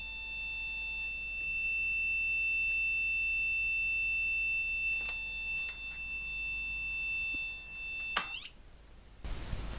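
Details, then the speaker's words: Olympia ESW 100-KSR serial typewriter/terminal, power supply fault: steady high-pitched fault tone for eight seconds, then handling noise, while checking the 12 V regulator fed from the 35 V rail; 12 V output apparently absent, only 5.3 V leakage suspected on the input. "so i'm just going to check to see if there is any uh 12 volts coming out of that regulator that's this device up here we'll just see if there's anything over there and chances are that 12 volts is completely absent"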